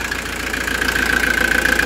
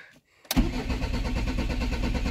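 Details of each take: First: Camper van diesel after major service with oil filter change, restarted after longer preheat to purge air from fuel filter: steady even idle with regular fine clatter, no misses or surges; no leaks, sounds healthy. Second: Camper van diesel after service and fuel filter change, bled, held slightly throttled: catches after short crank then runs rough and juddering with air still in fuel, then stalls; hard starting from air in fuel.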